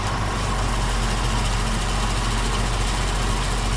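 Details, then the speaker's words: 1966 Ford Mustang convertible, warm, AC clutch cycled, wheels turned: steady, even low idle with no power steering whine or groan; engine and power steering sound healthy. "You know, it sounds good. And uh so overall um you know, the motor sounds real nice."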